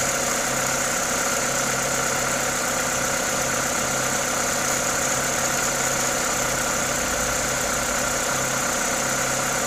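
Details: Toyota 2ZZ-GE engine at normal idle: smooth, even idle with steady airy hiss from the open induction kit, no knocks or ticks; sounds healthy.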